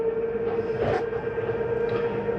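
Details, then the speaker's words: 2022 Palomino Columbus 379MBC slide-out retracting: steady motor whine with a brief grinding-like burst as the slide seats fully in; not grinding, just the mechanism at end of travel; normal. "As you notice, when they come in, you hear a little noise. Almost sounds like something grinding, but it's not anything grinding. It's just a slide mechanism saying I'm in all the way."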